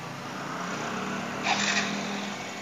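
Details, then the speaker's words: Yamaha Mio M3 scooter after replacing clearance parts, timing chain knocking only when tensioned: smooth even idle with one light throttle blip, no ticking or knocking; tok-tok noise gone, engine normal idle. "sini kayaknya halus nih Bro ya halus Oke Biasanya kalau timing muter memarkan bunyi ya tepat itu Ini udah nggak lagi udah normal kita gas bernorma bro"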